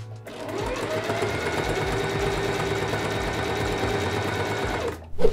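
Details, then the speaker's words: Sewing machine with a good sharp needle after replacing a dull one: fast, smooth, even whir of stitching with no thumping, unlike the thumping of a dull needle. "kind of making a thumping sound as opposed to this sound which is a good sounding needle"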